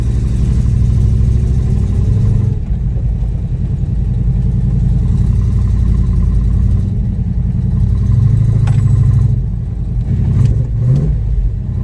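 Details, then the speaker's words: Ford Capri with freshly rebuilt V8, first start and drive: deep, steady burble with an even beat, no knocks or misses, settling into smooth idle; runs well, good oil pressure at operating temperature. "The test run was almost a full success. It runs okay, it goes well."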